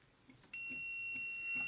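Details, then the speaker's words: 1995 Toyota Land Cruiser (1F engine) that sometimes cranks but won't start, fuel pump not running: with ignition off and the 4-pin relay removed, multimeter on continuity gives a steady high beep as probes touch both wire ends, confirming the wire is continuous. "تو السلك وضعينه هان، لما نلمس طرف السلك الآخر يصدر معنا صوت."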